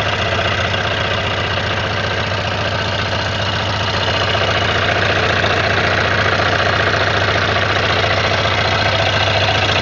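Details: Suzuki Katana 600: even idle with quick, fairly regular tapping about three to four a second; owner unsure whether it is a knock; odd engine noise, cause not confirmed.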